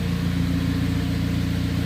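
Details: Rebuilt Vauxhall Astra VXR first start after rebuild: steady, even low hum, no misses, knocks or ticks; only tiny drip underneath, possibly loose seal; normal idle.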